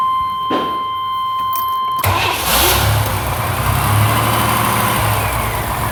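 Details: 1995 Chevy Astro 4.3L with a new fuel pump, earlier a no-start with no fuel pressure, now cranks briefly, catches and settles into a smooth steady idle on its own after a connector is plugged back in.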